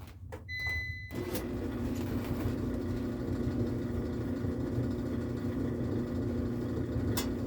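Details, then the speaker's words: Frigidaire Affinity gas dryer that runs but gives no heat: a few sharp clicks at start-up, then a steady tumbling drum rumble. Owner thinks the clicks are the gas solenoid but smells no gas; no-heat cause unconfirmed. "gas unit and i hear a clicking down there when i start it up which makes me think the the solenoids coming on for the gas"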